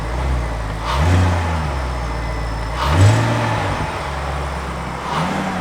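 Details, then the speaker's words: 2008 BMW 550i V8, warm (off about 1.5–2 hours), after VANOS solenoids were cleaned with a paint brush for low-rpm power loss and misfire-like driving without CEL: three quick throttle blips, clean rise and fall, no stumble. Normal free rev. "yeah it's it feels pretty reactive feels pretty smooth"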